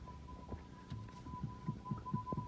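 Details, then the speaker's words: Hyundai Accent, rear suspension knock on rough roads: dull irregular thuds several times a second as the rear anti-roll bar is rocked, over a faint steady whine; worn rear sway bar bushing, also rattling on the other side. Stabilizer links checked and fine. "той стороны также дребезжит из другой страны стойки стабилизаторов я посмотрел у нас нормальное состояние"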